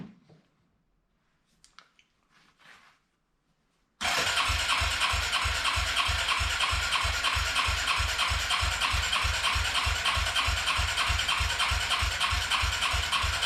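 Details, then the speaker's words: Arctic Cat 300 ATV, unused for 15 years, with rebuilt carburetor, new battery and voltage regulator, cranks steadily at about three beats a second without firing; no start because the fuel valve was not feeding the carb until switched to reserve. "all right guys so it turns out that it wasn't going to fuel so i just switched it to reserve now and i was giving them fuel to the carburetor"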